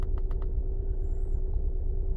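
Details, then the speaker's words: 2011 Honda Pilot 3.5 at idle with code P0302: low, lumpy idle with an uneven stumbling beat, cylinder 2 dead misfire with climbing counts on scan data. "all right so let's start it up oh yeah it's got a dead Mist to it"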